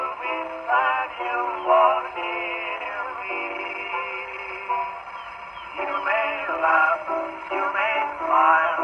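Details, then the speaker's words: 1919 Victor Victrola VV-IV after overhaul with new governor, mainspring and rebuilt Exhibition reproducer: thin, boxy singing over the horn turns harsh and fuzzy on loud phrases; distortion from a worn record, not the machine. "Enough of that. That sounds terrible."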